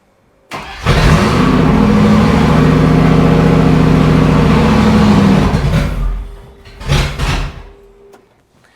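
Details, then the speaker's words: Range Rover Classic automatic, running after a new distributor: fires and runs unevenly for about five seconds, then dies; still rough, with injectors suspected. "No, still crap. Friggin' whap stuff straight in the eye. No, still poo. Gotta be injectors or something there."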